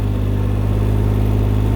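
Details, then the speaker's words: Can-Am Ryker 900 three-wheeler in forward gear, pulling away slowly on light throttle in a parking lot: steady low engine hum with smooth belt whir, no knocks or slipping; normal low-speed running. "and now we're moving forward see we're not going fast we're just going slow since we're in the parking lot but this throttles your friend it's the only thing you need"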